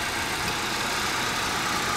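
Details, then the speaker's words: 2012 Honda Civic after an oil change, following a 10,360-mile run on Shell Rotella Gas Truck oil: steady, even hum with no knocks, ticks or misses; normal smooth idle. "If you guys hear it, it's just running perfectly smooth."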